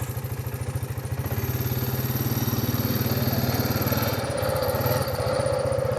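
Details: 2009 Honda Rubicon TRX500 (Foreman) ATV after new battery fitted, charging 14.3 V: even single-cylinder putter at steady idle, no misses or knocks; engine healthy, only needed a battery.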